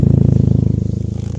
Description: Well, this winter took out the flex pipe on my 9-5. Common issue on these cars. Great exhaust note though :)